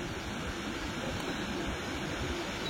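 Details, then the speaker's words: Sharp 100V tower air purifier in accelerated filtering mode, running the fan at maximum for about 15 minutes: a strong, steady rush of air with no ticks, rattles or wavering. It runs healthy at full power. "Nó sẽ chạy ở mức quạt tối đa. Các bạn nghe tiếng quạt này, nó chạy rất mạnh luôn nhá, chạy hết công suất đấy."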